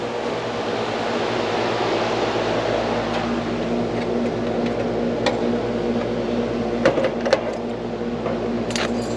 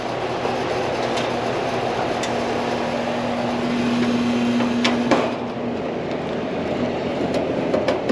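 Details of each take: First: Carrier AC outdoor unit on no-cool call, compressor restarted after rewiring to capacitor common: steady low hum with light clicks, drawing about 9.3 amps, suction line cooling; normal compressor running. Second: Carrier AC unit where the upstairs stays hot: a steady low electrical-type buzz under clattering and handling noise, then cutting off abruptly; buzzing, cause not yet found.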